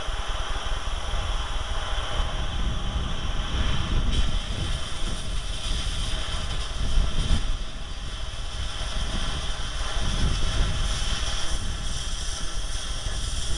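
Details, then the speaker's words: Acetylene cutting torch converted to propane, flame about 3.5–4 in long: once oxygen is added, a constant deep roar with a steady hiss on top and no popping or sputter; properly adjusted cutting flame. "add your oxygen and you'll hear the difference as it comes down through and you'll hear that hissing noise"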